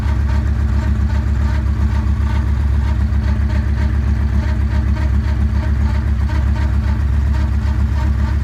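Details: 2009 Yamaha Raider V-twin at steady idle with an odd, fairly regular beat about two a second on top; abnormal noise, cause unclear.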